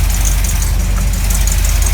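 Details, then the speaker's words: 1983 Camaro Z28 at idle after re-timing and redoing the burnt plug wires: deep lumpy V8 idle with a sharp puffing tick on each firing pulse, an exhaust leak still audible. "You can still hear the exhaust leaking in here."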